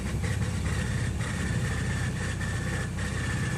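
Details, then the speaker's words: 2012 Jeep Grand Cherokee Overland, push-button start, fires then cuts off or cranks without firing; low rumble with a high thin whine pulsing about every half second during the start attempt, gas smell inside; cause unclear, owner wonders about the starter; abnormal noise when starting. "listen carefully to the sound that the engine is making not good no bueno"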